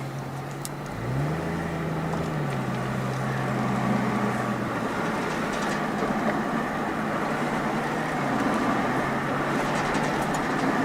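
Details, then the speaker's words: Chevrolet Trailblazer with ABS codes C0035 and C0244, driving and swaying to load the left front tire: low droning growl over road noise swells under load, much louder than on the right; likely a worn left front wheel bearing. "Every time I load that left front tire up, I really hear the growling. I hear it a little bit on that one, but nothing like I do the other one."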